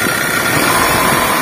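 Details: Honda Jazz VTEC running with the AC on, a thin steady whirring hiss over the idle.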